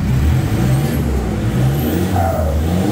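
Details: Toyota Fortuner VNT turbo diesel, full-set exhaust without resonator, after replacing worn-out tailpipe with 3-inch one: deep exhaust rumble swelling with revs, smooth, no metallic rattle; normal exhaust note.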